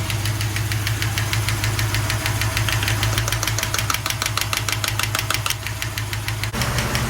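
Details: 1974 Jensen Interceptor, Chrysler Mopar big-block V8, warm idle after a 15-mile run, oil pressure 70 psi at start: sharp, steady ticking about three per second while finding the noisy lifter. Hydraulic lifter tapping.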